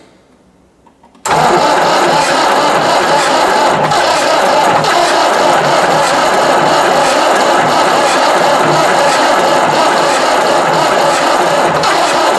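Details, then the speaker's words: Ford 5610 diesel tractor, believed 1983, being revived, with a suspect battery connection (smoke from a battery terminal): after a pause the starter churns roughly at about four beats a second and the engine tries to fire but doesn't run. Cause unconfirmed; engine trying to fire while cranking. "Here, trying to hit just a touch."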